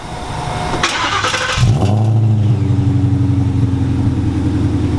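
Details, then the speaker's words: Coyote V8-swapped Ford Mustang Cobra (Terminator) with aftermarket fuel rail and line kit: brief starter whirr, engine catches cleanly and settles into a steady, deep, even idle; healthy start. "gonna lie it kind of sounds like a terminator yeah you wouldn't you wouldn't know yeah like this rolls up you would not know that this is coyote"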